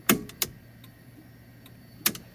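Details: 1986 GT with a dimmer switch fault: sharp, dry turn-signal flasher clicks in pairs with a long gap, crisp and consistent over a quiet background. The blinkers work normally.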